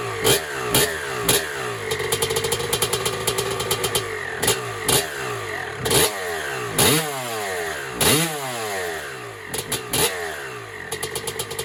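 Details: 1996 Honda CR250 two-stroke, first start on a build, 93-octane pump gas, choke off: crackling revs rising and falling cleanly in quick blips, loud through a cracked exhaust pipe; healthy running.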